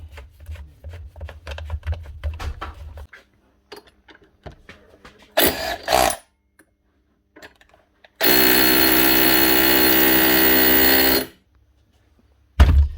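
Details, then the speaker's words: DeWalt power tool after fixing an electrical connection fault (burnt connector) that made it start and stop; clean, steady motor whir for about three seconds at even speed, no rattle; normal running after repair. "Now, that's her. Sounds much better. Give it a quick test."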